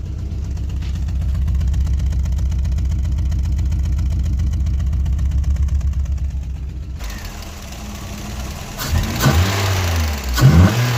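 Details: Freshly rebuilt VW Golf Mk1 engine at cold idle after first start: quick steady light tapping over the engine beat, hoping it goes away at operating temperature; separate alternator belt noise needs tightening; tapping less aggressive than before.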